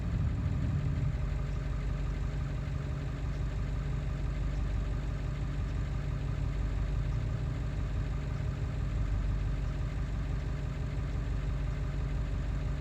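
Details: Ford 7.3 diesel running after ICP sensor replacement, still not running well: low, uneven idle pulsing near three beats a second with irregular lumpy rhythm; rough running, cause not found.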